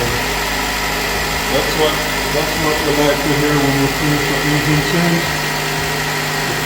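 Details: Nissan Qashqai at first start after an engine replacement, made because the old engine ran out of oil and was noisy and missing. It idles steadily with a smooth low rumble and no knocks or misses; the engine sounds healthy.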